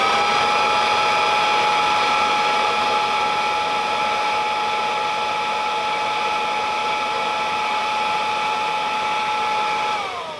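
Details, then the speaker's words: Kirby Classic III vacuum, running with the brush roll off for 10 seconds: smooth, steady high whine at constant pitch, then an even spin-down without rubbing or rattling; normal running. "But when I've started up, it seems to run fine."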